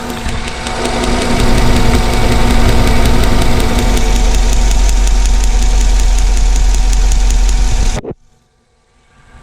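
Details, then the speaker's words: 2010 Chevrolet Tahoe Z71 5.3 V8 idling roughly, shaking, check engine light blinking: uneven stumbling misfire on cylinder 7, whose spark plug arcs fire about every five seconds; plugs and wires to be replaced. "it is a spark plug it's just it's like shooting fire like every five seconds"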